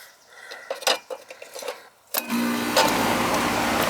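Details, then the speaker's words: Goodman AC condenser after replacing a bad compressor-side capacitor, thermostat set all the way down: light clicking, then the compressor kicks on abruptly and settles into a steady even hum, normal start and run. "Compressor started that time. So it should be, I pushed the thermostat all the way down. Yeah, it's working. It's gonna work now."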